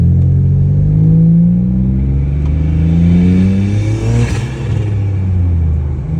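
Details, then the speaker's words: Turbo LFX V6 after LF4 HPFP swap, new wastegate and motor mounts; loose rattle over low drone at low rpm light throttle or free revving in park/neutral, low load; no metal in oil, owner suspects loose guide/actuator, rod bearing doubted. "does make noise mainly in park or neutral and I free rev it or really light throttle going down the road. Uh it has to be low rpm pretty light throttle though."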